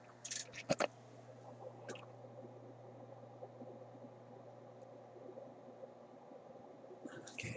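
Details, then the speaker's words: Sony ICF-2001 radio while switched off: faint, very high chirps repeating about once a second over a low steady hum, a stray oscillation in a set that turns on intermittently. "I really don't know if that's coming across, though. It's faint and it's high-pitched."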